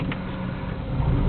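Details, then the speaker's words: 1989 Volvo 240DL wagon, five-speed manual, runs smooth, no overheating: steady low engine drone builds smoothly as the clutch engages on pull-away, no slip, judder or knock; exhaust not bad, occasional slight rattle mentioned. "clutch engages nicely sounds good the exhaust is not bad"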